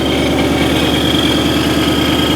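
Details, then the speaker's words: Wrecked supercharged Mustang GT with Corsa exhaust, idling just after its first start following delivery from Texas: a loud, even V8 idle with a steady lope and a faint supercharger whine; nothing out of place, normal idle. "Oh, there's oil in there or whatever. Sounds good. Yeah. Sounds really good. The exhaust is pretty loud too."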